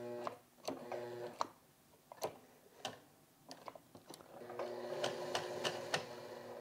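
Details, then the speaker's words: Sewing machine in reverse after swapping bobbin: uneven jaggedy ticking, about three stitches a second, with sharp irregular clacks; thread keeps ripping when sewing backwards though forward sewing works; cause not found. "Yeah, that sound does not sound right. It feels a little jaggedy, you know?"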